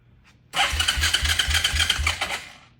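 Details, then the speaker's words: 2003 Suzuki Ozark 250 ATV on first cold crank after purchase, smoking: fast light ticking, about four per second, over a lumpy idle; doesn't sound like rod knock, owners suspect valve clatter. "doesn't sound like rod knock sounds like something"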